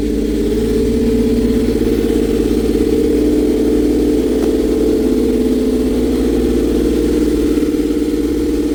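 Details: Toyota MR2 Spyder after replacing the leaking manifold-to-test-pipe gasket with a Remflex gasket and torquing it: smooth, steady idle with even low hum, earlier exhaust rasp gone and no leak at the joint.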